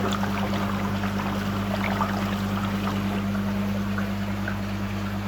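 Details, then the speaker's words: Phone against a big blue carbon dechlorinator cylinder during backwash with an 80 L/h pond air pump: steady low hum under constant fizzing and gurgling as air agitates the media; normal. "You might be able to hear all the air that's being pushed through there. It's bubbling up and agitating that media."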